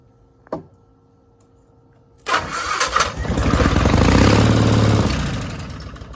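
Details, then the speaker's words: 1960 Onan industrial engine for a homemade Model T replica, first start in many years, plugs dry, owner suspects stuck carburetor needle. On sprayed brake cleaner: a click, rough bark, even run, then fades within seconds, as if starving for fuel; carburetor may need pulling apart. "it's going to run it did run just not sure we're getting fuel just yet"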